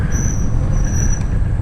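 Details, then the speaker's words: 1971 Honda CB500 riding to a vintage meet: thin steady high squeal over heavy wind and road rumble while slowing; rear brakes squeaking. "Ooh, little squeak out of the rear brakes there."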